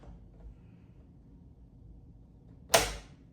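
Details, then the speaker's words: Water-cooled Russian system, setting headspace on a dummy with the 0.008 shim removed from the 0.020/0.010/0.008 stack: one crisp, sharp click as handle comes back and lock goes fully into battery; normal lock engagement with light resistance. "you hear that? That means that we're locked."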